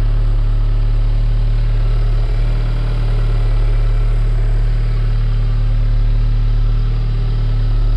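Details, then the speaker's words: Audi S3 8V after fitting Racing Line inlet and outlet, heard from inside: deep, smooth, even idle with steady low rumble, no knocks or whine; no difference from stock at cold-start idle; normal. "Ça va, en tout cas de l'intérieur, le bruit change pas vraiment. Alors j'entends pas de différence non plus à l'arrêt, au ralenti, avec le démarrage à froid."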